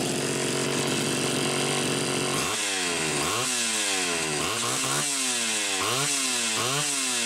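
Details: Homelite Super XL Automatic chainsaw, reported smelling hot, on ethanol-free TruFuel, almost warmed up: idle then about six quick clean rev blips, no throttle lag or stumble; healthy and responsive.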